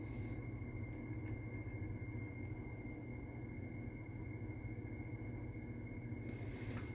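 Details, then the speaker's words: Kenmore wall air conditioner fan on low: low steady airflow rumble with a thin constant high whine over it, owner suspects worn fan motor bearings; not confirmed. "listen to that you can't even hear that fan you can hear the worn out bearings in it over the fan itself"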